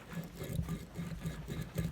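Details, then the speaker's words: KTM 450 RFS engine fully disassembled, connecting rod rocked by hand: dull, loose clacks from excess rod play, as the rod bearings are worn out. "those bearings are shot shot"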